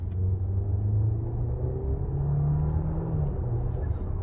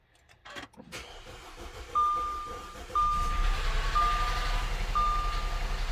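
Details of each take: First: 2014 Audi A4 2.0 turbo on a test drive after intake manifold gasket replacement, taking a pull to check for boost leaks: deep drone rising steadily through the revs, no hiss or flutter; feels strong, normal acceleration under boost. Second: 2.0T Audi flex fuel first start after intake manifold gasket replacement: starter churns about four beats a second for roughly five seconds with a chime overhead; slow to catch, owner suspects fuel still reaching the engine.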